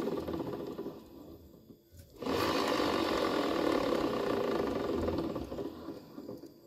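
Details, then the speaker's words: Honda Vario 110 LED scooter on its center stand, engine off, rear wheel spun by hand: rough, rhythmic "rok rok" growl about four times a second, gone with the engine running or riding. "a suara rok rok rok ya ada terdengar rokok rodok seperti itu diputar seperti ini"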